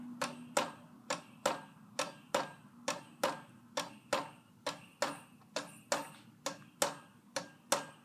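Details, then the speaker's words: 44-inch Monte Carlo Designer Supreme II ceiling fan in a hotel room, on high speed: a sharp, steady tick a bit over once a second that keeps time with the blades. The fan was very noisy on low and medium and wobbled on medium. "yeah it is very noisy like it's got some issues I guess with I don't know what it is but does seem to have any issues but yeah well this is insanely noisy you can just hear it"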